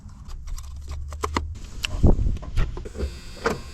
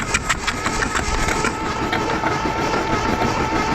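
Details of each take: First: 1982 Dodge Charger 2.2, unregistered since 1990, dead cold: fires after a few cranking clicks, immediately revs to about 4000 rpm and falls back twice instead of settling, radiator fan switching on; cause unknown. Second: 1982 Dodge Charger 2.2 non-interference engine, unregistered since 1990, cranked with spark plugs out: steady, even starter whir about six soft pulses a second, no knock or binding; engine spins freely.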